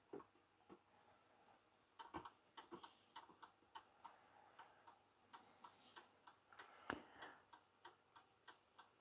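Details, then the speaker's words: 1930s Garrard English mantel clock after service and re-oil, pendulum refitted: steady, even, relaxed tick-tock with evenly spaced beats in a quiet room; complete, running in beat and healthy. "there we go complete and running and sanding magnificent"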